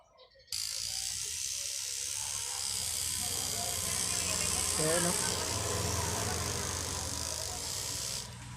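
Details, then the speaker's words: Cheap rotary tattoo machine bought online, fitted with an 11 magnum cartridge needle: steady high buzz, harsher and louder than with standard needles, with some hard starting; loud running with cartridge needles. "doing you can hear it sounds louder than using the standard needles"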